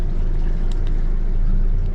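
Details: 2023 Stabicraft 1850 Super Cab with Yamaha F115 outboard, 144 hours, troll mode being set: low, smooth, even idle rumble with no knocks or misses; normal healthy idle.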